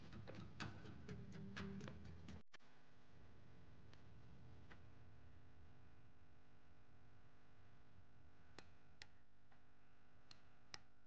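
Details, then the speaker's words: Brand-new replacement solenoid for a Mazda 3 with codes P2009/P2004, bench-tested with a jumper wire in a quiet room: a sharp, crisp click each time power is applied, confirming it switches, unlike the dead originals. "So now that we've confirmed that the new solenoids do work, they do click at least, another test you could do is the vacuum test."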